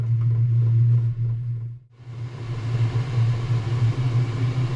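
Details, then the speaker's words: Chinese 5 kW diesel heater in a motorhome, main fan previously not shutting down: strong steady low roar from the burner, like a jet waiting to take off, with one brief dip; fuel pumping and burning normally. "So far so good. Sounds like a jet at the airport, doesn't it, when you're like waiting to take ready off."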